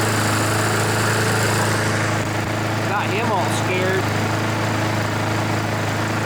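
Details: Honda GCV engine on a Poulan mower that wouldn't start, smoked and had an oil-covered air filter; still not fully warmed, needing some choke. Steady, even single-cylinder drone at constant speed without misses or knocks; running normally while oil burns out.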